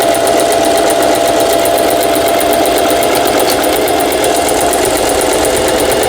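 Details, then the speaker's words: Singer 4432 sewing machine after repair (was noisy from new, parts knocking, overlock stitch failing): overlock/triple zigzag stitch test, fast steady stitching chatter with even hum, no grinding, catching or skipped beats; healthy. "이제 수리를 마치고 박음질 해본 영상이었습니다."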